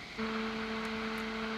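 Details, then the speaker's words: NUX Cerberus pedal at high gain: a steady, thin, fixed-pitch whine starts suddenly over the hiss whenever the display changes, interference from the display bleeding into the signal; display interference whine. "shows something there you get this noise this interference it's like a whining noise you could probably live with that like i do with a noise game whatever"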